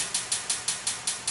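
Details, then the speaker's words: Fuel tank lid being pulse-welded in short runs. Sharp, crisp pops come about five or six a second, each fading quickly with no low hum: normal heat-expansion popping of the thin tank metal. "so you can hear the metal on the ch starting to pop a little bit as I'm welding"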